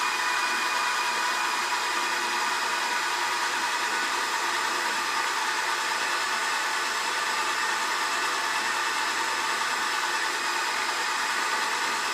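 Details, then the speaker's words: BL 2.4GHz RC helicopter 9004G, freshly charged battery, pinned to the ground while the speed button is tested: steady, airy high whir at one constant pitch. Motor and rotor running normally. "right that did make a difference that definitely made a difference then I could hear it but you probably couldn't hear it with the noise"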